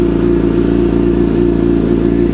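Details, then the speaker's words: Suzuki GSXR 750 inline-four just restarted after transmission replacement and engine reinstall, no servo motor fitted: smooth even fast idle, no ticks, knocks or misfires; healthy, no fault codes shown. "Key on. All right. Ah, sounds good."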